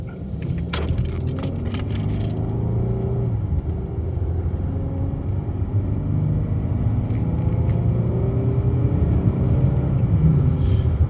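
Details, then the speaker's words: 2013 Dodge Charger Pursuit on road test after fresh fluids, new coil packs, spark plugs and oil pressure sender: deep rumble builds smoothly under load, no misfire or knock; fires right up, runs at temperature, smooth. Normal engine acceleration. "so as you can hear it runs right out um engine's really smooth um it fires right up in the morning"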